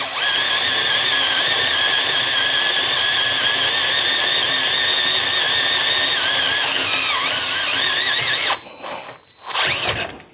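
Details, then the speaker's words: Variable-speed drill on 3/16 inch steel plate, run slowly with firm pressure and lubricant: steady high whir under load, no squeal, clean drop-off at breakthrough; big chips, bit stays cool, correct drilling. "I've got nice big chips and my drill bit isn't even hot look it's not even hot because I was drilling slowly and pushing hard"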